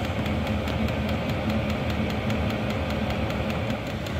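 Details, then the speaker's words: Vevor diesel air heater after repair, high output: steady burner roar with fast, even fuel-pump ticks about six times a second, warm air from vent; normal high-power running. "thing is really cooking fuel pump's clicking away got nice warm air coming out our vent over here"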